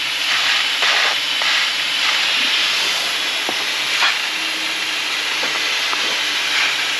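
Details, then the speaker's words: Pressure test of a boat's forward steel fuel tank, hand-tight taped threaded lid: continuous sharp hiss of escaping air over faint background clatter, leaking out the lid itself; compressed air leak at lid. "Oh, okay, so they're leaking out the lid itself."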